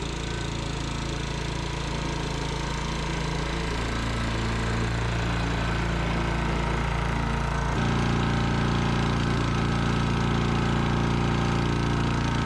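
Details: Sears Eager One lawnmower, Tecumseh single-cylinder, after makeshift connecting-rod knock repair with beer-can metal, throttle halfway: steady, even fast idle, smooth low drone with no knocking; normal running.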